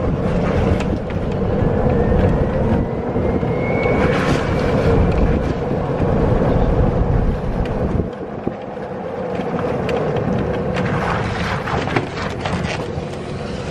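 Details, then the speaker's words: Electric golf cart with aftermarket extended top, driving around corners and over bumps after rubber insulators were added between metal roof parts: road rumble and wind, no squeak or creak; fix worked. "Not gonna lie, I love that already. We went around a corner, hit some bumps."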